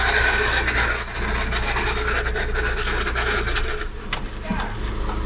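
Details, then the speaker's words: LADA 2114 after about 1000 km of a 2000 km trip, gearbox failed: harsh scraping grind over the idle while stationary, disappears with clutch pressed; gearbox failure, owner suspected release bearing/clutch. "сейчас стою вот только что стоял и прям такой скрежет стоит [ __ ] в рот прямо оттуда но это по-любому мне кажется выжимной Ну короче что-то со сцеплением"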